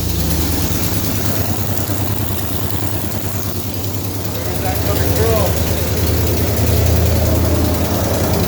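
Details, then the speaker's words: Mopar V8 with headers, start on jacks after new header gaskets fitted the previous weekend: steady deep idle with a regular puffing pulse about three times a second; owner suspects a leak blowing at the manifold, though quieter than before. "sounds like it's blowing at the manifold i think there's a fellow here at the but it certainly isn't as loud as what it was anyway"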